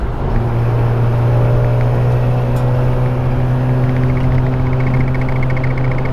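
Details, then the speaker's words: Mazda RX-8 cruising after the loose undertray was zip-tied back up; steady, even engine drone with no buzzing or rattling underneath; normal cruise, rattle was just the undertray. "We're going above, like, you know, 60, and there's no more rattling sound. So at the end of the day, it was just the Undertray."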